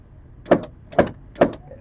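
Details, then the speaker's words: Car power window, switch pressed: three short motor whirrs, showing the switch and motor both work, yet the glass does not go up or down. The cause lies elsewhere and is still to be found. "Kalau ada suara seperti itu berarti saklar normal, motor juga normal. Dan kita akan cari tahu penyebab kenapa dia tidak bisa naik dan tidak turun."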